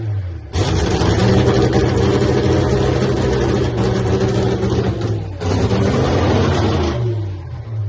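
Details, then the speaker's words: Nitro funny car Hemi Cuda, three-year home build, first fire-up after an earlier ignition problem with the mags: fires instantly, holds a loud, steady, deep lumpy rumble about six seconds, then cuts off; clean start. "Tires are cold. It should start. Nice."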